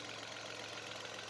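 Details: 2018 Ford EcoSport 1.5 three-cylinder after repair of engine noise caused by worn timing belt debris clogging the oil pump pickup: quiet, smooth, even idle with no knocks or ticks; healthy.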